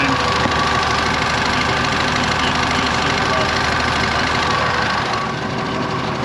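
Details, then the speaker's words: IH 915 combine, idle for a dozen years, bought at auction: steady, even, very quiet idle with no knocks or misses while a hydraulic oil line still leaks; engine runs normally. "we're we're still leaking away okay really really quiet though dang"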